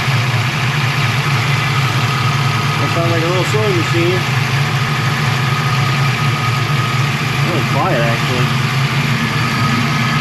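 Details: Foxbody Mustang, 347ci V8, about 400 rwhp, Holley Terminator X, first start after upgrading the 155lph fuel pump to at least 255lph: steady, even idle with deep consistent exhaust rumble, no knocks or misses; healthy.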